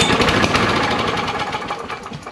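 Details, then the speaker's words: John Deere JS63C push mower, 6.75 hp Briggs & Stratton OHV, previously locked engine: small single running briefly on last bit of fuel, fast even beat fading slightly, sounds healthy. Normal running. "All right, well that's good news, guys. We're gonna leave it there for now. It runs and it sounds good off the little bit of fuel it has"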